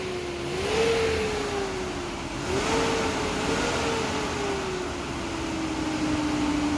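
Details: Nissan Caravan after throttle body and cam position sensor repair for stalling, poor pickup and hard starting: smooth engine note rising and falling evenly when revved, clean pickup with no stumble or hunting; test drive confirmed fixed.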